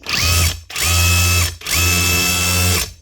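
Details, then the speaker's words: DeWalt DCH273 18V cordless SDS hammer drill with a cheap bit mushroomed and jammed in the tool holder: three bursts of smooth motor whine with light mechanical chatter but no solid hammer blows. Jam suspected; an internal piston fault is possible. "You can hear the hammer mechanism working, but it's not really putting anything through, so hopefully it's just jammed up in the tool holder."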